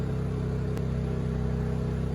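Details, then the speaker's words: Honda EU2000i inverter generator after correcting carb gaskets fitted in the wrong spots: steady, even low hum powering a 1500 W heater, no surging or hunting, not choking out, running about 10 minutes; normal running under load. "got the heater going generator even seems to be running way nicer for sure not choking itself out it's even going about 10 minutes now"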